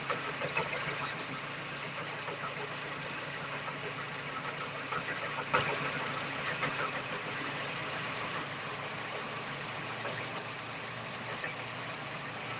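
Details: Daewoo Espero 2.0 L idling with a faint, somewhat irregular tapping of roughly three per second over the hum; abnormal knock in the engine, source not pinned down.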